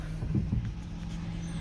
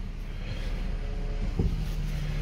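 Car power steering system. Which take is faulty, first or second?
first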